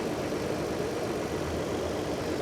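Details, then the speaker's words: 2022 Toyota 4Runner TRD Off Road (built 6/22, about a year old) at auction: an even, smooth idle hum with no knocks or ticks; a clean, healthy engine. "there we go solid as a rock no problems at all right there this is a clean engine"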